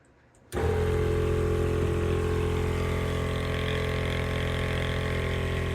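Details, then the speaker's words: On-board air compressor hidden in the toolbox of an off-road Ford F-150, first test with the fuse as switch: switches on instantly into a steady, even motor drone with slight box vibration buzz, no surging or knocking; making air pressure, pretty quiet; normal running. "There you have it. So it is working. Definitely making some air pressure. So I'll pull that back out for now. And it's pretty quiet really too."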